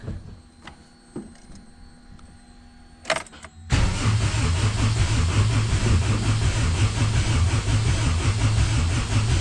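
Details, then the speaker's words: AWD B-series hatch on an OEM ECU without distributor: starter cranks steadily, two to three beats a second, but never catches; owner believes coil wires inside the ECU were disconnected when it ran another boosted hatch, so no spark. "inside the ECU there's um there's some wires that are for the coils and if I am 100% correct I disconnected those when I was running it on the boosted hatch"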